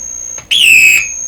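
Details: Deforest 10DA517 AM tube radio that howls, during tests with a 500K resistor tacked in near the volume control and next tube grid: a sudden piercing whistle bending down in pitch over faint hiss; the set is oscillating.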